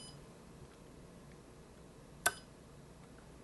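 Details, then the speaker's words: Siglent SDM3055A 5.5-digit bench multimeter in hold mode with measurement speed switched from slow to fast: one short, sharp high beep over a quiet room as it captures a new reading, now much quicker, trading accuracy for speed. "So, you're going to have to make, if you're a little bit impatient, you're going to have to make a bit of a compromise between uh speed and accuracy. But other than that, in this mode, it's pretty quick."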